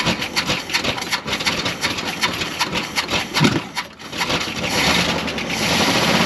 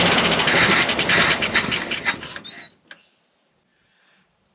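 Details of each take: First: Dodge W300 4x4 dump truck engine, carbureted, revived after sitting a while, catches after a few rough moments then settles into a steady continuous run with a firm even exhaust note; ignition and compression confirmed good, now runs well enough to drive. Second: Long-sitting Dodge W300 4x4 dump truck; rough popping bursts for a couple of seconds, then fades and stops; ignition and compression work, carburetor not getting enough fuel.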